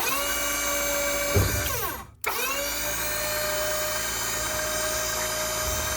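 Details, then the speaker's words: Hydraulic power pack for a dump box conversion on a 2012 3/4-ton 2500 HD truck, pendant-controlled: steady high electric motor whine that dips briefly and spins back up, then runs even and smooth; normal motor run. "Here's the power pack right here. You can hear the motor running."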